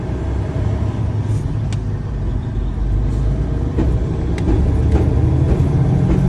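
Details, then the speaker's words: Freightliner Cascadia truck on the road: a deep, rough rumble under steady road noise with no clear rhythm, a bad low sound from the first (front) differential, damaged by running with low oil level. "eso se escucha como un sonido bastante feo grave algo malo"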